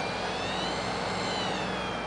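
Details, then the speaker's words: Tagan BZ-900 power supply with a Galaxy Tech 8800GT on Vista 64-bit, in 3D mode (ATI Tool fuzzy cube): thin high-pitched squeal over a steady hum, pitch wavering with cube rotation, fading as the mic moves to the graphics card; power supply coil whine. "No. As I move closer to the graphics card, you hear it less and less."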